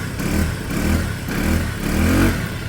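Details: Peugeot Satelis scooter, barn find revived after immobiliser/ECU fault work on the wiring, just restarted and warming with automatic choke; four quick throttle blips rise and fall cleanly with no hesitation or misfire, revving freely and healthy.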